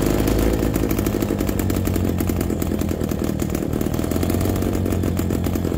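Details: MZ BK 350 two-stroke, first start after restoration: steady, even burble with a firm low pulse and no knocks or misfires; running normally.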